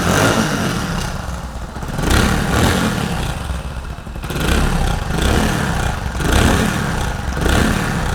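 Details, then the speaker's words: Hero Splendor single-cylinder idle with small throttle blips: a tinny jangling rattle riding on the exhaust beat, like something broken inside the silencer; cause is a cracked inner wall of the front exhaust bend pipe. "दोस्तों जो झंझनाहट की आवाज़ आ रही है ये देखो, ये ऐसा लग रहा है साइलेंसर के अंदर कुछ ना कुछ टूटा हुआ है।"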